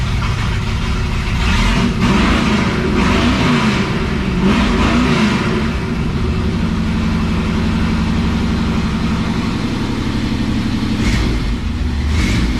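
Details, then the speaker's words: 1957 Chevrolet Bel Air field find, 327 V8 with TH400 and 10-bolt rear, newly fitted Flowmaster mufflers with tap-welded exhaust: V8 burbles at idle, revs and settles, deep, smooth and even with no rattles or leaks; normal healthy exhaust note. "It sounds way cooler with these Flowmasters, I gotta say."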